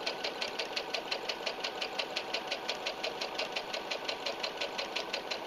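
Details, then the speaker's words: Brother SE 350 portable sewing machine running a regular straight stitch at medium speed; even, quick ticking about three stitches a second with no skips or grinding, producing nice even stitches. Normal straight stitch. "We're just going to run a regular straight stitch here so you can see how well it works and how it sounds. And I'm going to put it at medium speed."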